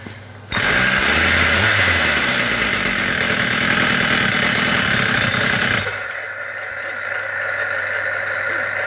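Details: Husqvarna K970 chain concrete cutter, 94cc two-stroke, owners reported hard starting; engine still warm: starts on first pull, holds a high steady buzz without stumbling before easing off; runs healthy.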